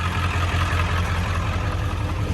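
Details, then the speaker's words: 7.3 Powerstroke diesel starting after a fuel job: it fires right off and settles into a steady, even idle clatter with no stumbling. The owner suspects injector O-ring problems. "Just make sure you fill that fuel bowl up about halfway, and she should fire right off. If she doesn't, then crank on her a little bit, but it shouldn't, I mean, you should not have problems."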